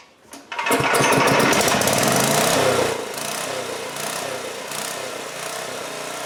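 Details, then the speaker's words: 2002 Coleman Powermate 5500 generator after carburetor cleaning and motor mount repair runs a high, busy, steady drone, too fast with 135 volts output; governor spring tension set too high, nut possibly tampered, to be backed off. "on that spring the faster the engine's going to run so I'm thinking that if we back this off a little bit"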